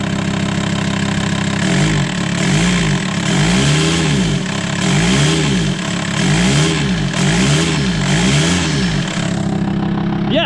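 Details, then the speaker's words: VW Transporter T5 2.5 TDI five-cylinder diesel after warped exhaust manifold machined and refitted: repeated throttle blips rise and fall cleanly with no whine, whistle or exhaust puffing; normal revving, though slight boost loss still suspected. "I don't hear the whine. Let's start with some throttle."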